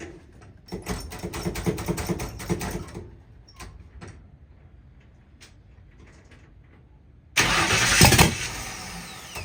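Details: 1960 Ford F100 shop truck, first start in years, open header, fuel system semi-hooked up, 50 lbs oil pressure: starter churns at a steady beat, stops, grinds again, engine never catches; no fuel reaching it.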